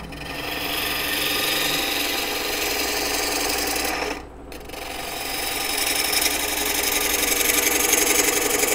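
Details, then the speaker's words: Woodturning: turning an out-of-round bowl, gouge at about 45 degrees; hissing cut with steady rapid clicking as the tool bounces, cutting protruding end grain before reaching side grain (interrupted cut). "okay you hear that you hear that bouncing or that clicking sound so on the side grain we're making a nice cut but on the in grain we've got oh I'm sorry on the on the end grain we're making a cut because it's sticking out so we're cutting that off"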